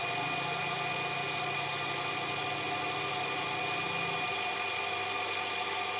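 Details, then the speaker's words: Thai automatic household water pump after replacing a leaking spring check valve that let water flow back and kept the pump running nonstop: steady, even hum and hiss at constant level, no surging or cycling. Running normally. "แต่ตอนนี้ก็จบงานเสร็จงานครับท่านผู้ชมใช้ได้ตามปกติครับ"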